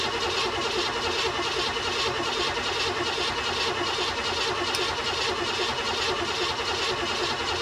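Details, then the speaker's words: 1969 Buick Special Deluxe, 430 big block with big cam, sat over a year, fogged before storage, fresh battery; cranked to build oil pressure: steady even cranking just over one turn per second, no firing. "there we go let the starter cool down for a couple minutes give it some fuel and should fire right up"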